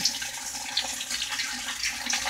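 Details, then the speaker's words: Whirlpool washer with all-lights-on fault, in diagnostic test mode: cold water inlet valve actuated, steady hiss of water rushing into the tub, no chatter or buzzing; cold inlet valve filling normally. "so obviously we know that cold water valve here let's go ahead and blow advance now we got the hot water valve is actuated so ask about 10 seconds to let that run"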